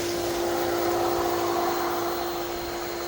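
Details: Pool filter pump running on the backwash setting (switched from filter after stop, then resume): steady mid-pitch hum with even water rush and no rattles; pump running normally during backwash.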